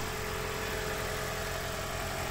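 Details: 2013 Toyota Prius, 3rd gen, engine idling after being turned on with a portable jump starter because the 12V battery had been drained to 5V by an interior light: steady, even hum, no knocks or misses; charging normally at 14 volts.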